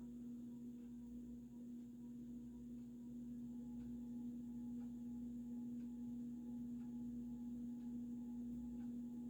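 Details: Vintage early-1980s Supreme Mark II 52" spinner ceiling fan running in reverse on high, wobbling slightly: quiet steady motor hum with faint regular ticks about twice a second from the loose light globe rattling.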